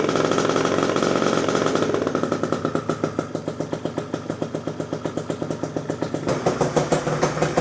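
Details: Freshly built PM Tuning 172cc Gilera Runner two-stroke Piaggio scooter engine, second start, barely warm at about 100 degrees, coolant not yet bled: crisp, even popping settling to about three and a half beats a second; healthy idle.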